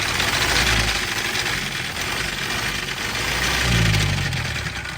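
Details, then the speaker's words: Auction Isuzu 4-cylinder mechanical diesel (4HE1, 1999–2004), crankshaft suspected damaged by backwards main caps: rough uneven clatter with a heavy knock about three to four per second, smoking, oil pouring out, one cylinder down, starting to run away. "smoke I'm going to say with the amount of oil coming out and the noise that we have some major [Applause] issues"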